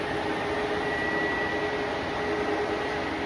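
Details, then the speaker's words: Three high-CFM 10-inch electric radiator cooling fans in a shroud, all running: loud, constant jet-like rush of air with no rattle, scrape or wobble; normal operation, after two had earlier quit and let the idling engine warm up. "These fans are loud, like all 3 running sounds like a jet plane almost."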